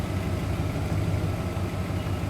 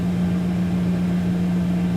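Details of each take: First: 2001 Dodge Dakota 4.7L, engine started stone cold and warming after IAC (idle air control) cleaning; idle drops from about 800 rpm toward its usual lower speed, a steady even low rumble with no misses or knocks. Normal warm idle. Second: 2001 Dodge Dakota 4.7L, restarted without touching the gas. A steady, even drone holds at a fast idle, idling high as on the cold morning start, then later comes down.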